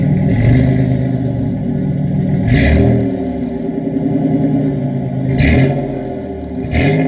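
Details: 1987 Chevrolet Celebrity Eurosport 2.8 V6 (owner believes HO), 4-speed automatic: sharp blips rise and fall over a deep rumbling idle, loud raspy free-flowing exhaust note; engine otherwise healthy.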